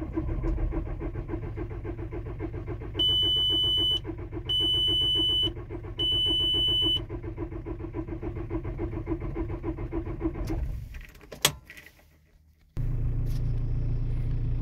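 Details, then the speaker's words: Diesel T5 (likely VW Transporter), cold morning start after sitting overnight: starter cranks steadily at about 3.5 beats per second with dash beeps, glow plugs cycled twice, no start. Owner attributes it to air in the fuel system on level parking; it started after two more tries. "пробуем завестись холодный запуск даём один накал не хохочет пробуем второй не пошёл"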